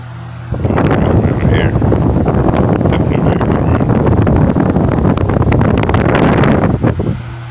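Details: Restored flea-market 16-inch four-blade Toshiba oscillating table fan: steady rushing airflow with a low drone, airplane-like sound and some fluttery buffeting; runs smoothly with no knocks or scrapes.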